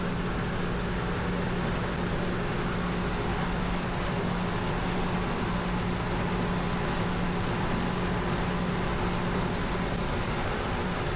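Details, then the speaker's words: Dehumidifier after repair (a closed part had stopped it; an unexplained pop occurred just before): steady low hum, constant tone, no knocks or rattles; coil getting cold, other side hot, compressor running and cooling normally. "Yeah, that's getting cold up there now. That's getting hot. Yeah, that's getting cold. Pretty sure it's working now."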